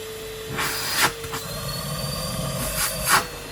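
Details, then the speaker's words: Street-find Numatic Henry HVR200 vacuum cleaner on a spare Numatic base with filter: steady motor whine broken by a couple of brief clattery bursts. Only loose bits of plastic blowing around inside; motor okay. "Doesn't sound right. No, there's a bit of plastic blowing around, that's all it is."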